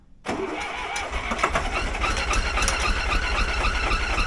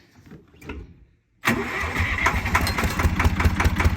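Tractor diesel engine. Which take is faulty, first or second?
first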